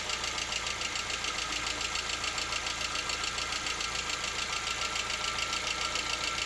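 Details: Lada Vesta, 64,000 km, warming idle around 50 °C: fast even tapping a little over two per second; knock appears part-way through warm-up, absent cold and at operating temperature, cause unclear.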